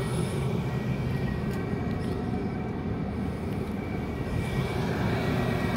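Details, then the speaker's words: Cheap Chinese diesel heater, first test run, heard from about five feet: steady low roar with soft uneven pulsing from combustion fan and burner; running normally, putting out strong heat. "all right well here's this thing running diesel cheap diesel chinese heater i'm probably five foot away from this thing right now and i'm gonna tell you right now it is cranking the heat out"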